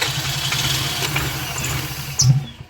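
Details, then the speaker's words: 2005 Toyota Highlander parked about a month, battery replaced, rat droppings found, no codes, injectors getting 12 V and pulsing: steady starter churning, engine turns over but never catches; crank no start, cause not yet found. "get been trying to started for a while now it's not starting"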